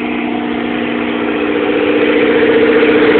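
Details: 1997 Eclipse GST with FIAV bypass plate, EGR block-off, vapor canister and vacuum lines removed, EVO III 16G turbo, no downpipe: steady idle hum slowly swelling as revs creep up, a surging idle of unknown cause.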